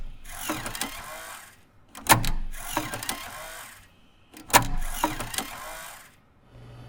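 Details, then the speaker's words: Apple SuperDrive 1.44MB floppy (Sony MFD-75W) after replacing the broken eject gear and Molykote EM-30L lube: short whirring gear runs each ending in a crisp click, repeating smoothly without skipping or grinding; eject works properly. "there might be a slight difference because the shape of the gear is slightly different but it's not necessarily a bad or louder sound it's just slightly different"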